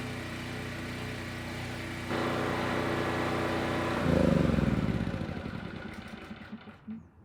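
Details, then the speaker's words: Generac LP3250 propane generator, about 7 years old, after regulator repair: steady even beat firming up as load comes on, then winding down cleanly at shutdown; healthy under load. "yeah not bad this thing fired right up and sounded good both loaded and unloaded so i'd say this one's done"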